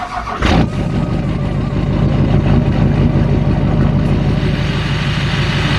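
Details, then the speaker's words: Murray 18 hp V-twin riding mower (Briggs & Stratton) with rough idle, before carb cleaning; cranks and catches, then idles unevenly with beat rising and falling; rough surging idle. "It was kind of surging for a little bit. So, but I cleaned the carb out some. It changed a lot."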